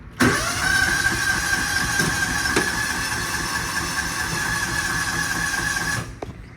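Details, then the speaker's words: Kawasaki Mule UTV in neutral that won't start, customer had already attempted repairs: starter spins at a steady, even rate for six seconds but the engine never catches or picks up speed; cranks but will not fire. "So, it cranks, but it will not fire."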